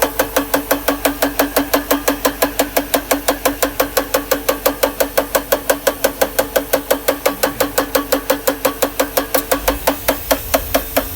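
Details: 1992 Mercedes R129 500SL, M119 V8 at idle: sharp, even metallic tapping about five per second, traced to the top left plastic timing chain guide rail in the cylinder head broken off at the bottom; began after revving to clear a misfire from damp distributor caps.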